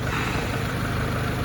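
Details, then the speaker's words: Honda 2.2 four-cylinder (LX, front-wheel drive) at operating temperature after a valve job and rocker work done on the bench: low, even idle rumble with no misses, knocks or ticks; quiet, no check engine light; normal. "pretty quiet unless i did my valve job right or didn't done my rockers right"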